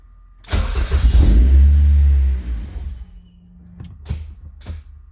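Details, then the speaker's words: K24 engine in a Honda CRX, after an ECU software update, cranks, catches and runs rough about two seconds, then dies. ECU shows cam angle not calibrated. "same thing and there it goes cam angle not calibrated so I tried swapping sensors around for the intake side for the crank sensor doesn't make a difference guys"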